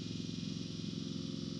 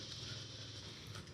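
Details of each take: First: 1971 Chrysler New Yorker 440, revived after sitting 20-plus years, fed from a fuel jug; an electric fuel pump ticks steadily about 2.5 times a second while priming a dry line, before the fuel loads. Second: 1971 Chrysler New Yorker 440, revived after sitting over 20 years: after the electric fuel pump clicks, it settles into a steady, even hum with a light tick, now pumping fuel and filling the carburetor normally.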